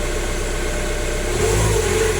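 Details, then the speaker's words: Jaguar X-Type after replacing the noisy crank pulley; idles evenly, then revs rise cleanly and hold with no knock, rattle or squeal, the noise gone. Normal revving. "let's fire it up and see if this nasty noise is no more if it's still down boarded yay happy days it was the horrible crank pulley"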